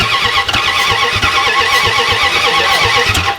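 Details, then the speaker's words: Project car cranking: steady rhythmic cranking with hissy puffing on each stroke; compression leak suspected, possibly a loose spark plug, unconfirmed. "Also, I hear compression leaking. Did you hear that? You got a loose spark plug somewhere?"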